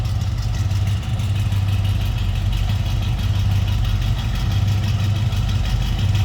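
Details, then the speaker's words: 1970 Chevrolet C10 stepside with rebuilt 350 V8 and Hedman headers, heard from the rear after a cold start: deep, steady V8 burble with even lope, no knocks, ticks or misses; normal idle. "sounding 350."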